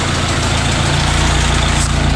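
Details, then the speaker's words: 1925 Ford Model T C Cab with distributor conversion, revived after sitting a couple years: slow, quiet four-cylinder chuff at idle with soft regular pulses; normal idle. "you know it's actually kind of quiet it is quiet isn't it you can tell if i mess with the advance it oh yeah it's happier for a little more advanced there you go yeah that sounds a lot smoother"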